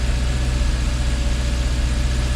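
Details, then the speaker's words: Jaguar XK8 V8 idling after ignition coil replacement cured its misfire: deep, even idle with a steady low pulse, no stumbles or skipped beats; owner notes slight vibration remains and suspects it could use new plugs. "oh beautiful we are now firing on all eight cylinders"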